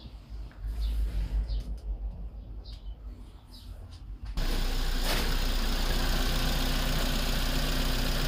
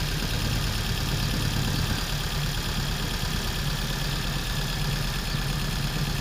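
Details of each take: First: Engine after a P0300/P0304 misfire repair: brief startup, then it settles into a steady, even idle with no stumble or skipped beats. Normal idle. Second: P0300/P0304 Misfire problem solved.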